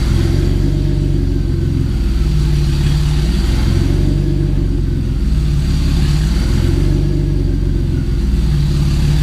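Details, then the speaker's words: 1990 Mercedes-Benz 300E, long-sitting, running after fuel injector cleaning: loud, raw, deep rumble with an open, unmuffled bark swelling and settling with throttle; catalytic converter and all exhaust behind it were stolen. "As you could probably hear, while this car was sitting, someone unfortunately stole not only the catalytic converter, but the entire exhaust system downstream of it as well."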